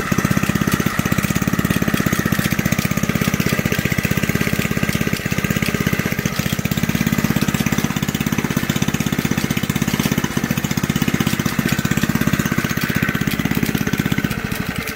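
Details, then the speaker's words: Old junkyard Briggs single-cylinder from reel mower, cold start on choke, bench-mounted: fast busy clatter about three per second over idle; owner says clatter comes from the recoil starter. "a little bit of a clattering coming from the recoil she fired up she sounds pretty darn good"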